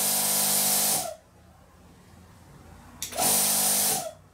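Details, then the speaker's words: Plasma cutter's built-in air compressor with a double-winded piston, running air out without cutting, internal fan on heat sink: two roughly one-second runs, steady quiet hum under loud air hiss, clean starts and stops; healthy, quiet compressor. "yeah look at that double winded piston that's that's that's pretty cool and that's quite quiet too"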